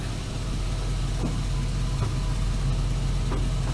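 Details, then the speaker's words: LS-swapped 1965 Chevrolet C-10 idling after new valve covers and coils: a flat, steady idle with no rise in revs when given gas. No throttle response; a drive-by-wire system problem is suspected. "Nothing. So now, after letting it run for a little bit, I've determined there's a problem in the drive-by-wire system."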